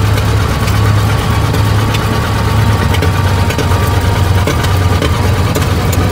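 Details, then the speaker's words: 1920 Ford Model T barn find that sat about 10 years, first start, hand-choked while the timing is adjusted: lumpy, uneven idle on only one or two cylinders. Stuck valves and low compression on one cylinder cause the misfire. "it's really only running on one or two so it sounds like one sounds like the the 199 brush having a little issues here see what we can come up with but it's definitely not running good"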